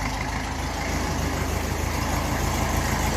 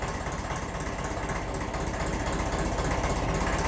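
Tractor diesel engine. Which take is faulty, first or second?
first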